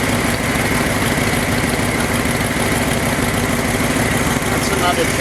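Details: Ford F-250 after fuel pump repair, idling around 900 rpm after idle adjustment, target about 800; owner happy, says it's running good. Steady, even idle with smooth low rumble, no misses or stumbles; normal idle.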